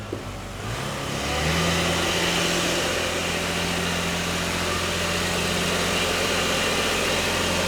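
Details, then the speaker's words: 2000 Lexus ES300 V6 automatic, engine runs well but revs climb and hold a steady drone in drive with wheels not turning and a popping noise; no drive, fluid black with metal debris, transmission failure. "It's definitely not doing anything."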